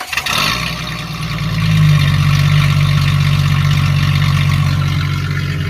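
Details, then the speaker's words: Jeep ZJ with rusted, holed muffler and rear exhaust removed, only catalytic converter left, before new muffler fitted: deep booming rumble with raw blatty pulses, far louder than stock. "let's fire this up it's just a cat off they're gone might be loud"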